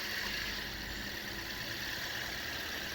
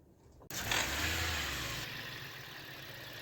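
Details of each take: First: Pakistani Toyota Yaris engine revved after fitting a new replacement part to cure a noise it made when started: smooth, even note with a steady hiss, no squeal, knock or rattle; only normal engine sound, problem resolved. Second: Toyota Yaris (Pakistani model), just after starting: harsh rattling rasp surging with each throttle blip; the part visibly vibrates with the noise. Removed part is the auto adjuster/belt tensioner, found worn.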